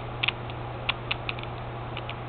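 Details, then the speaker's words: Gearbox of the Beast, a rig running a bit rich, turned by hand with engine off: irregular light clicks and chunks from stripped second gear; plastic spur gear fine; new second gear to be fitted. "and hear second gear chunking in there here yeah spur gear is doing fine"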